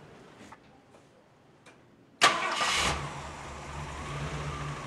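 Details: Vintage V8 first start after swapping the stock carburetor for a new Holley 670 CFM Street Avenger on factory settings, cranked to fill the bowls, no fuel leaks: a few quiet clicks, then a sharp catch and quick rev settling into a steady, even idle.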